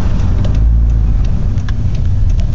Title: Whats this thumping noise?